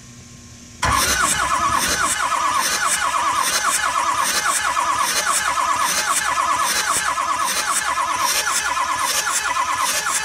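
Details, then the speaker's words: 2006 Ford F-350 6.0L diesel that won't run at all, cranked during a compression test through the glow plug hole on the driver's side, second cylinder back: starter grinds steadily for nearly ten seconds, engine never catches; heads possibly damaged by recent overheating. "all right so we're gonna go ahead and crank it over again here so what we get"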